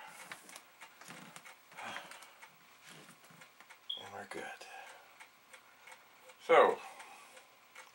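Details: Amiga internal floppy drive loading Workbench: irregular light ticks and stepping clicks with one brief louder whirr; the drive seeks and reads a disk normally.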